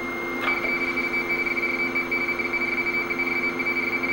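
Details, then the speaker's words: Space Shuttle interim teleprinter's FSK audio link, two tones for zeros and ones as in radio teletype: steady high warbling tone pair shifting back and forth, clean data chatter with nothing beneath; normal teletype signal. "they use two audio tones one for zeros and one for ones it's an age-old technique used for radio teletypes and leads to this characteristic Tunes"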